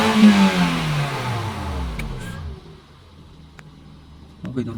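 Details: Manual Toyota Vios, still cold, with earlier long-crank and low-power complaints. Revs drop away smoothly and settle into a quiet, even idle with no misses or knocks; it now has power and starts easily.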